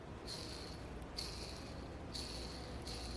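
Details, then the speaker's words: Low-time ball bearing removed from an OS 61VF RC engine, flicked round by hand: thin high whirring ring in short bursts, should be silent; still rotates well but needs refurbishment. "I think you can hear the sound it's making. Now, it shouldn't make any sound at all."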